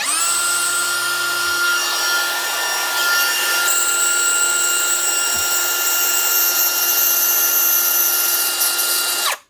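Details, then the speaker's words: DeWalt DCW600 18V cordless trimmer/router running: steady high motor whine with a harsh gritty rasp from a failed bearing; the motor still works but quickly gets warm. "Yeah, that is stuff. There's a bearing gone there."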